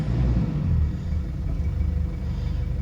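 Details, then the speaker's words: 2004 Mazda B2500 diesel after fitting Synergy 4 tuning box, still cool, running 50/50 diesel and vegetable oil: low even diesel rumble at steady tick-over, no knocks or misses, slightly rough; normal diesel idle. "now go for a drive it's like more lights on the dash nice steady tick over"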